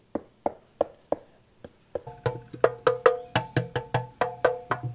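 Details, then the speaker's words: 1975 Kawasaki KE125 fuel tank after cleaning out old gas, rust and sludge: sharp taps, slow then about four a second, ringing bright and metallic, unlike the dull sound before; tank sounds clean inside. "That sounds like metal now."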